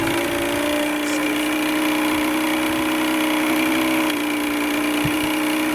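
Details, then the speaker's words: Vintage Evinrude/Johnson 35hp outboard, started after sitting over 24 hours, after bad gas was purged: a steady, even idle with no stumbling or dying. It gets better once warm, where before it would not idle for any time. "Once it warms up, it's even better. But I never used to get it to idle for any period of time at all."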